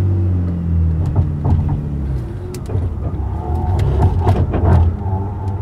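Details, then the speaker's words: BMW E30 with turbocharged M52 swap, after winter maintenance, driven ~100 km: squeaking, banging and grinding from the LSD rear differential while crawling in tight parking-lot turns, both directions; owner unsure if normal, cause unconfirmed. "Lot of squeaking.. And some banging and grinding. I don't think it should sound like that."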